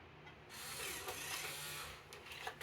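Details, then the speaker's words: Macintosh Plus floppy drive ejecting a full 1.4 MB high-density disk: short mechanical whirr with ratchety clicks, eject works properly. "Let's check the eject, which it's going to spit this out because it's a full 1.4 meg disk."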